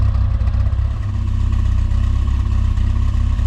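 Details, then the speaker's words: Rover Mini Cooper S Sport 5 with over 106,000 miles, after new injectors to cure a long-standing rough idle: the warm idle is a steady low throb at probably about 950 rpm, smoother but faintly lumpy, with no misfire. "So there we go. It's idling possibly a little bit high, but that'll be it just adjusting back up. It's probably at about 950."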